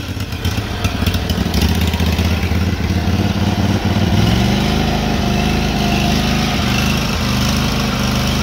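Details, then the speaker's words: SCAG SWZT 52-inch mower, twin-cylinder, after carburetor removal: steady full-throttle drone with faint soft pops, quietly backfiring, rough off full throttle; runs on both cylinders, owner suspects a vacuum leak. "now full throttle kind of sounds like it's backfiring really quietly so i don't know what's up with that carb scene seems to be good"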